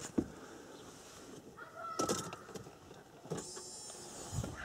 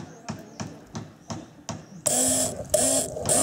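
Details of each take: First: Mercedes W210 with a newly fitted Bosch fuel pump, replacing an old pump that had whined loudly for a year, then went silent and the car wouldn't start: faint short priming whir under clicks, nearly silent, as it should be. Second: Mercedes W210 electric fuel pump, previously very loud for a year, tested directly on the battery: light clicks then a harsh buzzing hum in short bursts as the pump seizes and jams.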